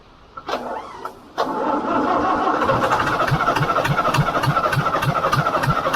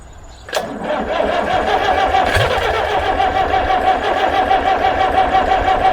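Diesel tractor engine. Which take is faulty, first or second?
second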